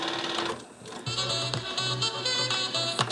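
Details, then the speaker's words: Nakamichi LX-3 cassette deck, stored unused then in use: hollow knock about twice a second over the fast rewind whir; owner suspects the idler, knocking noise during rewind. "as you see again forward everything working but this knocking noise that is coming from this vicinity and I think is The Idler"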